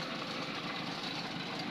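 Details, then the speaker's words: Newly overhauled forklift 4TNE98 diesel on a temporary stand for a leak test run: loud open-exhaust idle with an even, steady chug and no knocks or misses. It is running healthy. "so maganda yung tunog kasi walang an mga"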